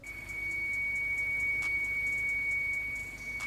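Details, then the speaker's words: Audi S6/S7 4.0T at idle: steady, piercing high whining whistle over a quiet engine, the telltale sign of a failed PCV oil separator, a very common 4.0T issue that should be fixed promptly. "The telltale sign is you're going to get that horrific whining, screeching noise, which sounds like this."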